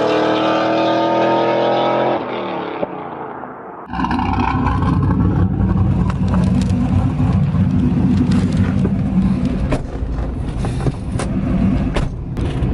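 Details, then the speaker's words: 2000 Pontiac Trans Am WS6 V8 with BTR Stage 4 cam, long-tube headers and Borla catback, after replacing E3 spark plugs: after a brief lift at a shift, it pulls hard at full throttle with a steady deep roar, no stumble or popping; healthy. "right so that poll the 10 times harder I'm a little bit surprised at how much more power mated it's noticeable"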